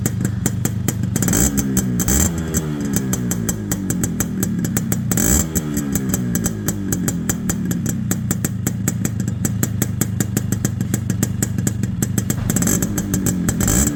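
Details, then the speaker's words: Restored Yamaha RX two-stroke motorcycle, engine fully dismantled and rebuilt with 5-speed gearbox and RPM setup: crisp, even popping with a few clean throttle blips, running smooth and steady; healthy engine. "இப்போ இந்த வண்டியோட beat sound கேட்கலாம் வாங்க."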